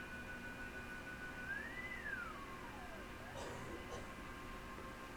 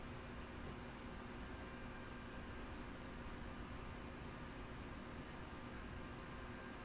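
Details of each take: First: Yaesu FT-101E on first power-up at full power after bypassing the dim bulb tester, with a test signal injected from a generator: a faint steady tone rises then sweeps down through the hiss. Receiver now picking up the injected signal; normal receiver operation. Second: Yaesu FT-101E on first power-up through a dim bulb tester, with a 14.200 MHz AM test signal at -76 dBm and 900 Hz tone injected, volume full: only a faint, even hiss with no tone. No S-meter reading, no change with the preselector; no signal received.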